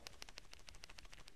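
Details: CP4 fuel pump (Mitsubishi 4P10) case/inlet pressure relief valve shaken by hand after repeated penetrating-oil soaking: quick light clicks, about six a second, inner piston moving freely again.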